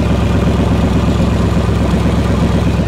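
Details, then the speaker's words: 1960 Chevrolet Impala at the shop, at idle: loud, lumpy, uneven burble, about two pulses a second, sounding loose and sloppy. "sounds like know sloppy it sounds sloppy is what it sounds like"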